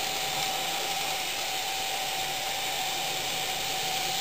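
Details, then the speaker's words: Fox Valley Models N scale GP60m locomotive, no DCC or sound, trailing A unit and B unit during break-in, sped up leaving a tunnel: steady hiss with constant high whistle; bearings squealing at speed, not yet cured by break-in. "Okay, as we emerge from the tunnel, I'm going to speed it up. And you can hear the bearings start to scream."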